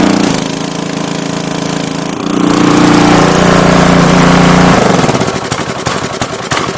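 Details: Craftsman 3400 PSI pressure washer, Briggs and Stratton engine, May 2014, which had died and wouldn't start, water running, after carburetor cleared with light compressed-air burst: catches and settles into steady even run, no stumbling or surging; running normally.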